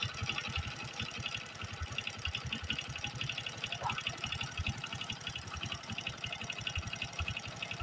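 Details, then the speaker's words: Honda Supra X 125 single-cylinder engine idling before teardown, with a busy metallic clatter on top; suspected piston and cam chain noise, needing checking, timing inspected first. "suaranya seperti ini ini suara piston rantai mesin dan lain-lain kemungkinanangnya juga tetapi perlu dicek"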